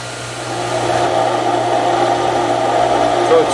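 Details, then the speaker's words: Outdoor garden water pump in a boathouse during priming: the steady hum turns rough and gravelly as the pump loses prime and cavitates, then picks it up again. "you can hear the pump cavitating now because it's lost it's prying there you just picked it up again"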